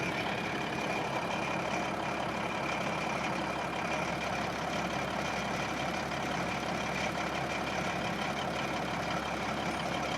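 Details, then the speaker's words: Caterpillar SS250 soil stabilizer with a 3406 (believed 3406B) diesel, about 24,000 hours, sat 5–6 years: first start after sitting, steady even diesel clatter at idle, constant low drone, no misses or knocks; normal idle. "3406, fire up number 2. You'd think it was brand new. I think it's got 24,000 hours on it."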